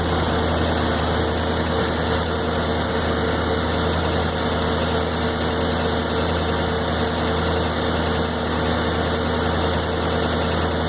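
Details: 1993 Corvette LT1, 42,000 miles: V8 idle with steady low rumble but uneven lumpy beat and slight stumbles; stutters around town, fine under load; replacement part tried, same result, cause unconfirmed.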